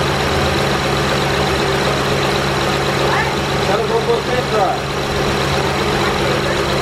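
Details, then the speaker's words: 2008 Honda Pilot SE after power steering pump replacement; even, steady idle with a smooth low hum and no squeal or whine from the pump. Steering is smooth; some noise is normal at first start with a new pump. "so there you have it folks it takes like 40 minutes to do no squeaking it's not hard anymore smooth"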